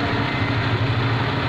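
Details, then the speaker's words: Suzuki Liana M13 petrol engine idling with a steady, even low hum under full load (AC and headlights on) after a faulty ignition coil causing misfire and rpm fluctuation was replaced; rpm now stable, no stumbling or vibration. "Engine RPM बिल्कुल stable हो गए हैं अभी आपको accelerator करके भी check करवा देते की अब हमें एक सिलेंडर देता हूं इंजन कहीं पे भी रुक नहीं रहा किसी भी की संग वाइब्रेशन नहीं दिखा रहा है"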